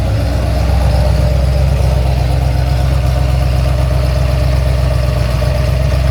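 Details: Ford XC GXL under restoration with a 351 V8, not warmed up: a deep, steady V8 burble with a lumpy but even beat, about four pulses a second, and no knocks or ticks. A normal idle.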